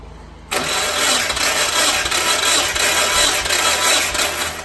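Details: Storage-unit Mazda Miata, long unrun, no spark: starter cranks with uneven chugging rhythm during compression test, engine never catches; cranking only, no start.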